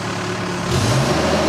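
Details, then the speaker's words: Cat E Series mini excavator diesel with auto idle on: drops to low idle after about three seconds without control input, then drone climbs smoothly back to original working speed when joysticks are moved, no hunting; auto idle working normally. "goes automatically back up to the original engine speed so that's auto engine idle saves fuel and it also makes it quieter and easier to talk"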